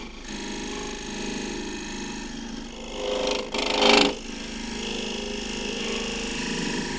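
A steady, even shearing hiss from the tool with only one brief louder scrape; the cut is running clean without wood fouling it.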